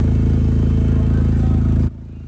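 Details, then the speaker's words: Loud, deep, rapid exhaust putter at idle, far too loud, after driving through a pool of water cracked an already weak, rusted exhaust pipe; exhaust leak from rust and cracks underneath. "So, this car was driven through a pool of water and because the exhaust was already weak, it started cracking. You see all the rust and cracks under here."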